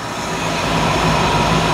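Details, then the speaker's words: 1955 Chevy Nomad V8, carbureted, first start after sitting for years with a little old gas: steady low rumble, smooth even idle with no knocks or misses, quiet exhaust; healthy. "man it's so lame and quiet I think it needs dual exhaust"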